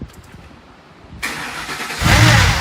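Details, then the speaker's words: 2005 Ford Explorer 4.6L V8, sat over a year, blown exhaust and a timing-chain rattle complaint: starts with a harsh rough rattle up front that mimics chain slap; it is actually worn belt-drive idler and tensioner pulley bearings. "all right so pretty bad right it's got huge exhaust leak and all that lots of noise up front here and you really can't tell which it is"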